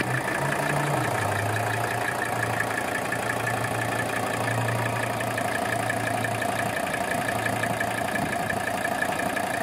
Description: Just the gentle purr of a 300TD, and showing there is no blowby.